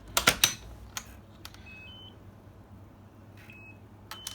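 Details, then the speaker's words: Hafele EL9000 electronic door handle, programming fobs after the manager code change (inside 10 key pressed, fob presented at key 5): handling clicks, then two separate short high beeps, one for each fob, as the lock accepts them. "Then you present your fob just in front of the 5. You'll hear a beep."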